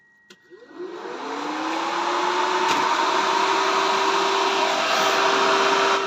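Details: Drift car electric radiator fan switched on via a newly wired forced-run override switch with a small fuse: a click, then the fan whirs up and settles into a steady, even hum. This is normal fan operation.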